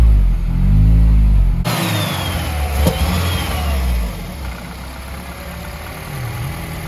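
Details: R56 Mini with big turbo fitted, after subframe work: engine fires, climbs on a brief rev, then settles into a steady, even idle without misfire or knocking; normal idle, healthy.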